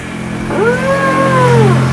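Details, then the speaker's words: Samsung single-tub washing machine that won't drain, tub turned by hand: drawn-out groaning rub rising and falling in pitch, sounds like jamming; something dragging, cause unconfirmed. "Pada saat kita putar ada suara kentut, ada suara kayak macet gitu ya."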